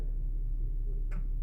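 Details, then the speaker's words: Infiniti QX70, 123,000 km, previously misfiring and shaking, after valve adjustment (clearances badly tight at 0.15–0.18): quiet, steady low hum at idle, no misses or ticking; normal idle. "Двигун шепче, не шелохнеться. Красота."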